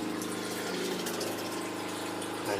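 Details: Solar-shed water pump on battery with new MPPT charge controller, after repair: steady even motor hum with water flowing, no grinding or stalling, no fuses blown; pump running normally.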